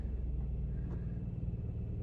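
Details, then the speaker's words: 2003 Audi A3 2.0 petrol with 52,000 miles, unstarted for 10 years, fired on a new battery with a warning light on: deep, even low rumble, no misses or knocks; normal cold idle right after start. "No way. That sounds mint. Can't believe that."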